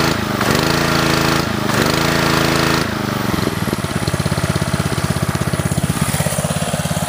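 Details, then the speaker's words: Ryobi pressure washer, Honda GCV190, after a new carb, governor spring, intake gasket, governor linkage fix, tune-up and idle-down cable adjustment: drops from fast run to a steady, evenly pulsing idle near 2100–2200 rpm, no hunting; normal idle. "That's how it's idling right now. It's idling around around 21, 2200 RPMs right now because of the pullback feature on"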